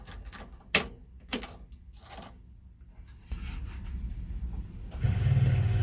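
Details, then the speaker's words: 1965 Chevy pickup carbureted engine after sitting a week, float bowl primed by newly installed electric fuel pump: engine catches quickly and settles into a steady low rumble; starts right up as it should. "fired right up fired right up just the way it's supposed to"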